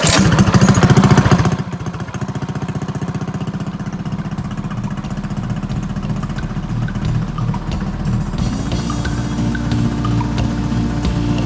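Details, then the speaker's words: Drift trike small engine after refitting, knock previously caused by a missing clutch set screw letting the clutch play on the shaft: steady, even idle of about 3–4 beats a second, no knock; running normally. "yeah nothing no no no knock we're clean we're good"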